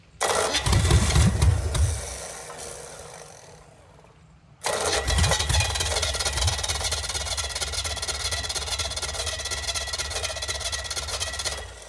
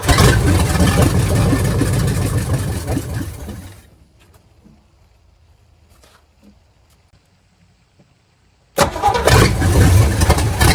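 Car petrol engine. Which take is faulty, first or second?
second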